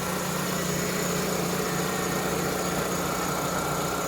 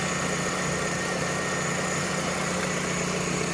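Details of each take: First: Vauxhall/Opel Astra F MK3 GLS saloon, 1.6 16V, at idle, listened to at the engine bay: even idle with a thin constant high whine, no knocking; owner says it's just a bearing. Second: Vauxhall/Opel Astra F (MK3) GLS saloon with a 1.6 16V four-cylinder: smooth, even idle with a steady hum and no knocks, ticks or misses. Owner calls the engine absolutely sweet. Normal idle.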